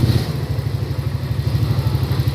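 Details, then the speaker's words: Honda Vario 150 scooter engine rebuilt from scratch, radiator cooling system installed, first kick-start after assembly: steady, even low putter with regular firing and no knocks or rattles; normal idle. "Oke teman-teman, jadi seperti itu cara merakit mesin Honda Vario 150 dari 0 sampai nyala seperti itu ya."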